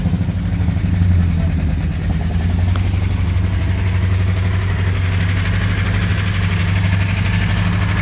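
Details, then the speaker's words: 1959 Chevy Apache 3100 pickup V8, first run in over 20 years, with a fuel leak: deep, even rumble holding steady without stumbling or surging; normal idle. "got a fuel leak got not bad first time running over 20 years 1959 Chevy Apache"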